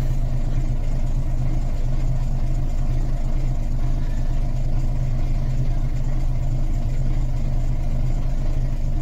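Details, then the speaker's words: Volvo B10M diesel at idle, throttle not blipped, after Bendix AD-2 air dryer rebuild; steady even low rumble, no tinkling or air hiss, air building well, waiting to unload. "I've not blipped the throttle. There is, I don't know if you can hear it or not, but no air leak."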